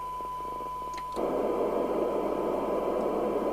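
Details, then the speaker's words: Midland 2001 UK FM CB radio under repair: a tone cuts out and steady white hiss comes up as the squelch opens, so the receiver is working. "I just want to see whether the set is recoverable. If I can hear it receiving, turn the squelch down."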